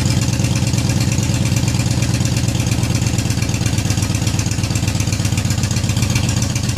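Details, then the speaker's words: Yamaha Raider big twin with newly fitted Cobra Dragsters exhaust (baffles in), recorded from behind, cold outside: steady, even lumpy idle through loud pipes, beats regular and unbroken, healthy. "so anyways there's my Cobra dragsters one last time it's getting a little bit hazy in here where I had it running pretty cold outside but went from that to that I'm excited it sounds good"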